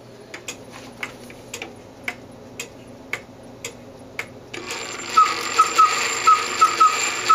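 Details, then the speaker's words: Antique cuckoo clock after repair of erratic beat (bushing work, escape wheel repair, crutch wire adjusted, pallet assembly removed): viewed from the back, crisp even ticks about two per second, steady tick-tock spacing; back in beat and running properly. "here we are at the back of the clock you can see everything is back together and functioning like it should"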